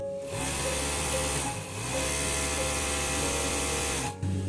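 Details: Overlock sewing machine after cleaning and refitting the plate tightly at its centre: runs smoothly at steady speed, the earlier catching, rubbing noise now gone; normal running sound.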